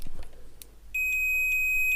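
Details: Multimeter after continuity buzzer repair: after a few probe taps, a clean, steady high-pitched beep comes on and holds without breaking up; continuity beep working normally.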